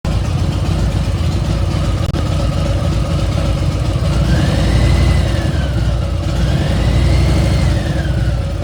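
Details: Milwaukee 8 V-twin, at about 3,700, after new pipes and a dyno tune: clear whine over the rumble that climbs and falls with throttle blips, now 2-3 times louder than when new. Excessive engine whine, source unknown.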